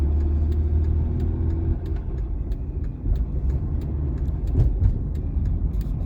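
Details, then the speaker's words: Volvo XC60 T6 six-cylinder turbo engine with very intense noise: sharp fast ticking about four a second over the running engine, like a collapsed hydraulic lifter or a diesel; valvetrain clatter suspected, not confirmed. "Parece que tem tipo um tucho descarregado. Tipo um barulho de carro diesel. Esquisito pra caramba."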